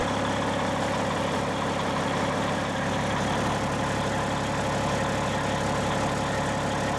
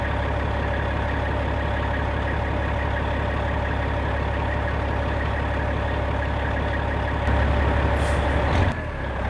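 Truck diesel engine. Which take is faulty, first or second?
first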